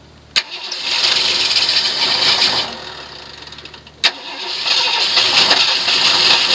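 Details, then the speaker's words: 1971 Ford LTD with a remote fuel tank and mechanical fuel pump, primed with brake cleaner into the carb: two crank attempts, each catching and running roughly briefly before dying; won't keep running, carb or accelerator pump suspected. "so I'm going to shoot a little juice in there see if we can't get this thing to last a little bit longer than the other times so here we go"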